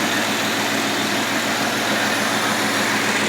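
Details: 1980 Lincoln Continental V8 idling after replacement of the ignition coil and starter solenoid for a no-start: a steady, even idle with a smooth low rumble and no misses, knocks or ticks; it runs healthy.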